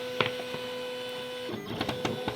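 Steady motor whine with light ticks as the carriage shifts, even and unstrained; plotter cutting normally.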